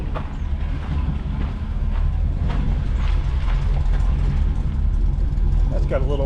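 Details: 1979 GMC Vandura, newly installed muffler and tail pipe replacing a blown muffler and broken-off tail pipe, van on a jack stand: deep steady idle rumble with even pulses, no rattles, ticks or leaks; normal exhaust note.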